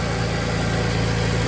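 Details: Audi just after its exhaust was welded: a steady idle with a faint quick puffing tick on the exhaust note from a small leak on top at a welded exhaust joint; power steering also sounds unhappy.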